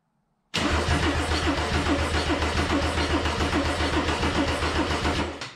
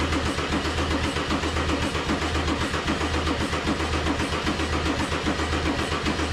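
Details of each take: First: Mercedes-Benz 190E W201 with swapped OM606 diesel, first crank after install with OM603 mechanical fuel pump fitted and fuel possibly not yet supplied: steady, even starter churning about four compression beats per second, no firing; healthy cranking, no start. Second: Mercedes 190E (W201) with swapped OM606 diesel, OM603 mechanical fuel pump and Holset turbo, first start attempt: starter turns it steadily about 220 beats a minute for ten seconds, never catches; smoke from EGR shows fuel injecting, battery then apparently dies. Cranks, no start; cause unconfirmed.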